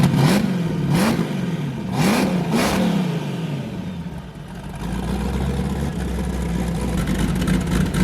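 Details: Boosted car "James Brown", fired up with a new cam after a 23 psi run blew a coupler off and the owner feared damage: revs rise and fall, then settle into a hard, even lope, about four chops a second. Normal choppy cam idle.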